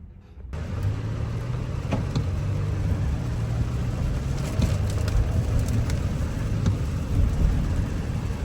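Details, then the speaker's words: Audi Q7 supercharged V6 idling steadily with no stumble or vibration after repairing a cylinder 6 misfire; normal running after repair. "I put it everything back right now it's already start no vibration everything is good"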